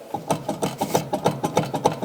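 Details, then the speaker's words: BMW E36 318is that sat unused over 15 years, front wheel raised and spun: a rhythmic rasping grind about seven times a second from the left front wheel bearing, completely gone, with the cage heard turning. "you could hear when I went to pick it up you could really hear a deafening noise from the left wheel and I found the problem there is the bearing completely gone you can hear the cage that turns"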